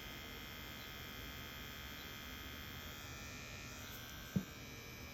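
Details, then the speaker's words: Rotary tattoo pen with 4.2 mm stroke, DC connection: faint even electric buzz, no knock or rattle, barely audible and low vibration; normal smooth quiet running. "from what i've heard surprisingly it is actually quite smooth for for such a long stroke it's here look at that you can hardly hear it doesn't vibrate very"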